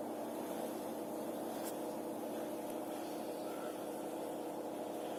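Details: Zanussi Acycle 1000 FE1014N washing machine where the rinse cycle doesn't work and it beeps with an error: quiet constant mid-pitched hum while the drum turns; drum bearing suspected worn.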